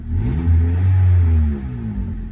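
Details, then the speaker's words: Slammed Honda Civic (ES1/EM2) free rev: a quick blip rises and settles with a deep, low, throaty exhaust drone and no ticking or rattles. The owner likes the deeper note; the mid pipe is known to have a hole. "it sounds like a little deeper you know sweet well i like it pretty cute"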